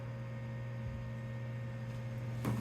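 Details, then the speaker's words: 1996 BeBox computer powered on: quiet steady low hum with soft even whir, no rattle or scraping; cooling fan spins up and runs fine. "there's lights the fan came on that's nice"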